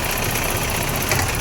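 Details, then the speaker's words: BMW E30 M10 four-cylinder after misfire repair; steady even engine note, no stumble or dropouts, stable at all rpm. Normal running. "Mesin normal, stabil di semua RPM. Mantap."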